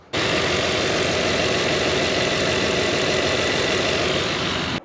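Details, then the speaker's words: 50+-year-old water-pumper off-road buggy with swapped OBD1 fuel-injected engine, no hood, at idle: steady idle with fast light injector ticking, about four per second; ordinary injector clicking the owner dislikes. "I've seen a lot of those fuel injection versus carb things I've never seen it mentioned but you can hear those injectors click and it just doesn't sound right based solely on the sound of the fuel injectors"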